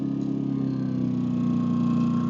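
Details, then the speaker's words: Pulsar 2,200W dual-fuel inverter generator running on propane, eco mode button pressed from full idle: small single-cylinder buzz holding a steady note, easing slightly lower as it idles down into economy idle. "you can hear it idle down. So that's in echo mode."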